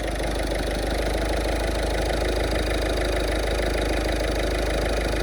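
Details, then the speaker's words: 2010 Ford Fiesta Zetec diesel after new timing belt, auxiliary belt and full service (oil, fuel, air filters), starting easily and idling with a steady, even clatter with no misses, knocks or hunting; healthy idle. "I'll crank it, Dave. And she starts lovely."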